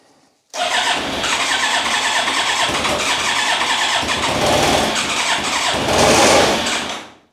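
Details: Rebuilt Yamaha YZF1000R Thunderace engine on a start attempt with choke, fuel pump pressurized, after a failed first start: starter spins it in a steady whirring crank for about six seconds without catching or firing, crank no-start.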